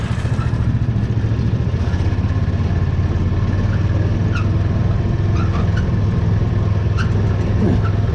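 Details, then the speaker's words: Landstar 350 driving at walking pace: sharp irregular chirps, one to two per second, over a low steady engine drone. Owner says it just needs lubrication, suggesting a dry pivot or joint. "don't mind the landstar 350 she just needs a little lubrication that's what you hear that squeaking on"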